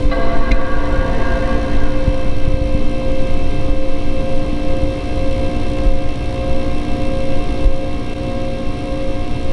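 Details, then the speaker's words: Late 2005 Power Mac G5 Quad, cold start, microphone handheld at the cooler: loud, steady low roar with a fixed hum and faint whine, no rattles or scraping; cooling fans running flat out at cold start, normal. "it sounds kind of like a t800 terminator starting back up it sounds really cool it's a really cool sound to hear"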